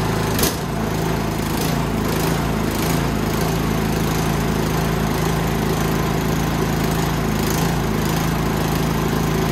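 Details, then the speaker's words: Toro Power Max 824OE snowblower after carb rebuild and no-start repair: primed, throttle up, catches after a quick crank and settles into a steady even idle; lean California emissions tuning; normal start and idle. "and she idols Furious she's a runner runs pretty well too"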